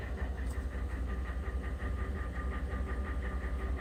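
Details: 2011 Ford F150 Coyote 5.0 V8, 130,000 miles, idling cold with a steady hollow knock about three beats a second; owner says long-standing piston slap on number 8 piston when cold, runs great, dealer couldn't duplicate.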